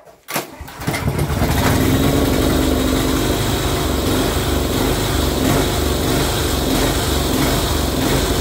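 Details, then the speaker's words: Barn-find Honda GX340 single-cylinder generator, previously no spark, now on a home-made capacitor discharge ignition: brief cranking, then it catches within a second and settles into a steady, even run; starts and runs fine. "goes wow it works success that's amazing that saved me an absolute fortune"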